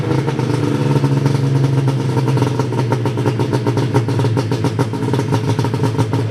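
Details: Ski-Doo 583 Summit two-stroke after HAC failure and delete, rejetted in below-zero cold with needle clips moved from third to second position and new mains (350/340): fast even crackle over steady drone off idle, no misfire gaps; runs normally.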